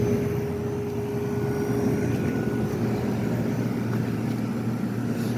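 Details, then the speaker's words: 1973 GM Frigidaire 11,600 BTU window air conditioner, rusted pan but coil good, blowing ice cold: steady even hum with smooth compressor drone, no knocks or rattles; compressor sounds great, normal running. "yeah it's blowing ice cold it's happy this compressor sounds great"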